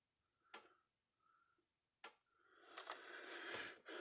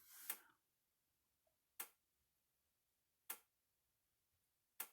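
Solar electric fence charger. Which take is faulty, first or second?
second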